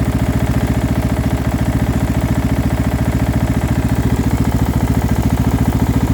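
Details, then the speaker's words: Single-cylinder engine with a muffler fitted, at idle: a light, even low-end rattle on each firing pulse, not a heavy thumping knock; the source is unclear and the owner is unsure if it is a knock. "okay there is a noise but to be honest it doesn't sound that bad it's not like a good thump thump some some knock"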